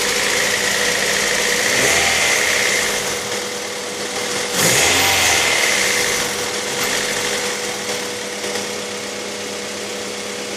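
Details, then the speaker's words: Honda B18B1 (LS) petrol engine idling and revving with a light, steady ticking about three per second; owner unsure of the cause and fears rod knock. "Alright guys, got a ticking noise I need some help with."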